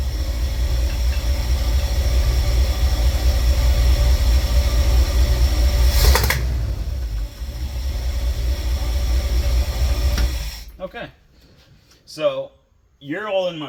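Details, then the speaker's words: V8 van that backfired on the drive home; air filter not charred. Rough idle with a faint irregular chuff under the rumble, which owner attributes to exhaust coming back into the intake; cause not confirmed. "you if you listen very very carefully you'll hear what the problem is yeah that that's exhaust coming back"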